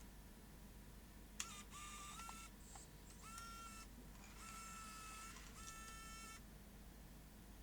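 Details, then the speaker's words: Sony DCR-IP7E MicroMV camcorder, loading motor driven directly from a bench supply at about 200 mA: faint small-motor whirring in short bursts, then silence. The mechanism drove out and then presumably got stuck. "okay so it drove out okay and then got stuck presumably"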